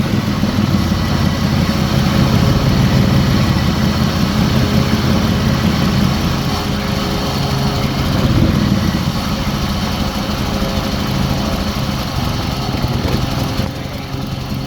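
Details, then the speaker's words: Chrysler Sebring with check engine light, started cold; bank 2 upstream O2 sensors lazy: uneven, lumpy idle with an irregular beat, surging and briefly running better when switching into open loop; rough running, cause not yet pinned down. "they're staying at closed-loop now but it's running like crap anyways they're open-loop you hear you hear a surge and it kind of runs better for a second when he goes into open-loop"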